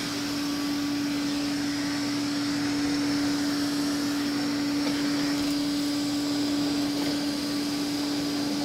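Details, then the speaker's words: Old Hoover vacuum with a gasketed wand, owned since about 2007–2008; the motor was never or barely lubricated, with nothing done in over a decade. A quiet, smooth, constant hum with no scrape or bearing growl; normal healthy running. "all right let's fire up the Hoover so quiet looks effortlessly on those pushing the Bears at least"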